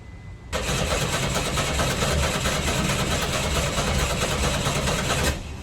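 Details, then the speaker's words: 1986 Chevy S10 Blazer 4-cylinder, 4-speed, 2WD: starter cranks steadily about five seconds with no catch; no fuel from the throttle body, injector suspected. "Yeah, there is nothing coming out of the throttle body. The tiny starts I had before was from hitting it with carb clean. So I think the injector is my problem,"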